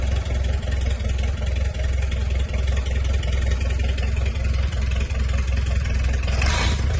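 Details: 1951 Farmall M tractor four-cylinder, first start after rebuild with new sleeves, lapped valves, surfaced head and set valve lash, coolant not yet connected: deep steady chug about 160 beats a minute, slightly loping but even, no knocks or misses; running fine.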